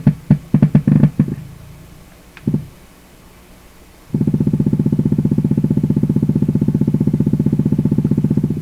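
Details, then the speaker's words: Canadian PYE Model 39HC radio: a low, steady put-put pulsing about four times a second through the speaker, like an old motorcycle; the set is motorboating, with feedback circuits under study. "next setting same motor boating well what's that next setting"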